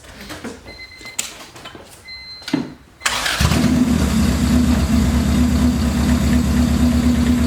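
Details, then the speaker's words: Honda B18B engine after fixing the injectors, fuel return line hooked up, clutch bled: quiet clatter, then catches at three seconds and settles into a steady, even idle with no stumble or miss; misfire fixed, injectors were the cause. "That was the injectors all along, like a lot of you guys said, but we kind of figured."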